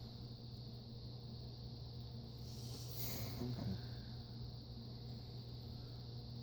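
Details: Vintage Razzetti ceiling fan, Italian-made with porcelain housing, motor thought rated about 230 rpm, bearings untouched: quiet steady low hum as the fan coasts down, smooth with no grinding or ticking; motor in good shape, normal spin-down.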